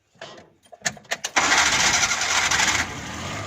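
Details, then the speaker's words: Suzuki Ravi/Bolan with a morning hard-start and backfire from moisture in the spark plugs; after the plugs were heated and refitted it cranks a few beats, catches cleanly and settles to a steady idle. A normal start. "देखेंगे दोस्तों, ये गाड़ी अब स्टार्ट हो गई है।"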